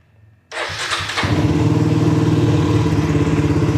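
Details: Suzuki V-Strom 250 SX started right after an oil change (filter, seal and drain gasket replaced): the starter catches within a second and the engine settles into an even, steady idle with no knocks or rattles. Healthy start.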